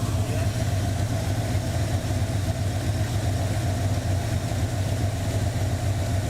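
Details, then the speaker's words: 1984 Ford Mustang GT350 20th Anniversary V8 at a steady, deep, even lumpy idle with no knocks or misses; a suspected noisy lifter (new set fitted) on one bank was actually exhaust, and the engine seems okay. Normal idle. "oh never mind it's exhaust yeah cheers everything seems to be okay"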